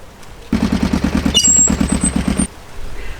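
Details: Motorcycle front brake whose caliper lost a pad without being dismantled, after front braking failed on the motorway. About three harsh scraping pulses a second with a thin high squeal on top, from bare metal rubbing the disc where the pad is missing.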